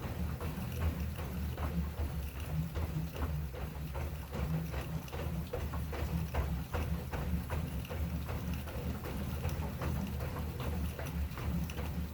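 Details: Assault Runner Elite treadmill in use: steady creak about two and a half per second with every stride; frame creaking under load, source not pinned down.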